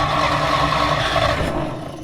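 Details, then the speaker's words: 1940s Dodge army truck sitting over 30 years, spark confirmed at points, carburetor accelerator pump squirting fuel: steady cranking with a brief sputter that dies; no start, owner suspects timing or clogged exhaust, cause unknown. "Ooh, it sputtered. So the most I've been able to get is sputter. I can hear the carburetor injecting fluid."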